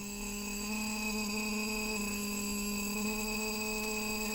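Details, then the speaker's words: Shruti box G reed, before repair: steady note with a rough, buzzy edge throughout because the reed tongue touches the frame surface. "here is the same STI box and the same problem with same read it's a buzzing this read is making buzzing sound"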